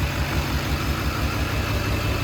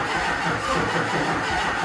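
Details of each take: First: HMMWV Humvee with swapped Duramax LBZ diesel, first start after FASS lift pump install: steady even diesel clatter with smooth low thrum, no misses or knocks; no smoke, no exhaust leaks, no fuel dripping from injectors; normal idle. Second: HMMWV Humvee with swapped Duramax LBZ diesel, first start attempt after FASS lift pump install, on a doubtful battery: steady starter whir with even compression pulses, never fires; owner suspects fuel system not properly primed.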